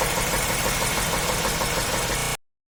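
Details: Chevy 350 LT1 V8 on its last run before removal: a rapid, regular knock with a faint squeak over the engine note; rod knock from a spun bearing.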